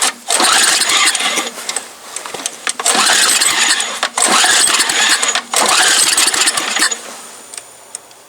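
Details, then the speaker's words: MTD Yard Machine snow blower small engine, sat about a year and a half, carburetor suspected, cold start after starting fluid and choke: repeated fast cranking bursts, never catches; owner thinks the carburetor must come off. "Jeez, this thing's a little cold blooded. I have to bring out a jump um extension cord. Spin it over with the saw."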